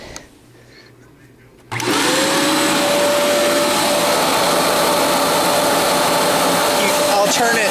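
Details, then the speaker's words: Fantom Wildcat upright vacuum, brush roll in good shape, switched on and off; motor settles to steady constant-pitch whine with even airflow rush, brush roll motor very quiet like a little toy motor, running normally. "this is with the brush roll this is it without so you can hear how quiet the brush roll motor is on off on off see you can kind of tell it is just like a little toy motor"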